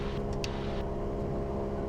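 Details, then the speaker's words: Light training aircraft during pre-flight run-up at about 2000 rpm, one magneto switched off at a time: steady, even engine drone with no roughness and hardly any drop; normal run-up on a single magneto. "now take one mag off and just see if you get a little drop here feel it running a little rough then yeah put it back on again now try the other one"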